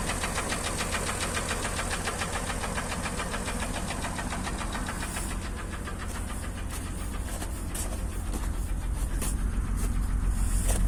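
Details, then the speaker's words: Acura MDX engine idling with a regular knock at about three to four beats per second over the running note; engine knock, source undetermined. "Вот так, собственно, стучит."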